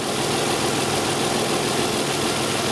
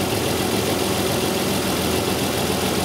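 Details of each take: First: 2002 Isuzu Rodeo LS 3.2 L after correcting its reversed upstream O2 sensor connectors, with fuel-contaminated oil and an oil change needed: steady, even idle with a constant drone and no misses, knocks or hunting; the engine is running smoothly. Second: 2002 Isuzu Rodeo LS 3.2L petrol V6 idling just after start in open loop, with severe bank 1 misfire complaint; exhaust leaks make the engine a little noisy, giving a raspy, puffing edge from leaking exhaust joints.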